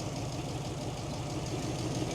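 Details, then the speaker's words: 1941 truck (Ford or Chevy), no electric fuel pump: idling with light quick tapping over low rumble; mechanical fuel pump tapping, lifters only faintly audible, slight miss suspected. "I'd say it's got a you can hear the lifters a little bit but it's not it's the fuel pump that Taps that's what that is I'm not running an electric fuel pump"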